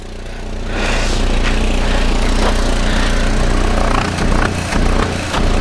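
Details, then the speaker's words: 1994 Volvo 480 2.0 litre, cold start after refitting replaced defective downpipe: engine runs with puffing, chuffing blow pulsing with firing, exhaust leak from rear pipe coupling; front joint now sealed. "yeah it's quite an exhaust blow coming from that coupler yeah from from round this coupling I think that's where we've got an exhaust leak"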